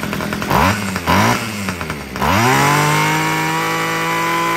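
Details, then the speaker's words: Homelite two-stroke weed eater after richening the carburetor low-end screw: a few quick blips, then a clean steady high rev that holds; it had been too lean and running hot, now runs properly. "All right, that was awesome. Just the low end of that carburetor just needed to be a little bit more rich."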